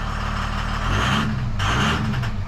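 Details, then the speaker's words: Ram 2500 Cummins diesel, tuned, at about 999,897 miles, started with the fuel pressure unit unplugged so the rail sits at full pressure: loud, hard, rough heavy clatter and swelling roar; harsh running. "See, it sounds really loud. Yeah. Because it's at full pressure."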